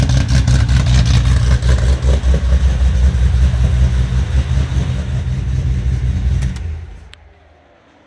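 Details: Foose/GT500 supercharged V8 just completed and started on the earlier tune that idles; deep, even lumpy idle beat with no knocks or ticks, then winds down; oil burn-off mostly cleared, sounds healthy, tune still to be dialed in.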